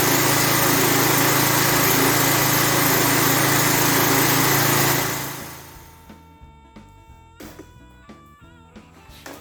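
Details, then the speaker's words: Lawn edger 3.5 HP Tecumseh engine, previously a no-start, after properly installing the air filter: runs steady and even for about five seconds at a high buzzy pitch, no misses or knocks, then shuts down; healthy. "Like I said, that surprised me and it runs that doggone good."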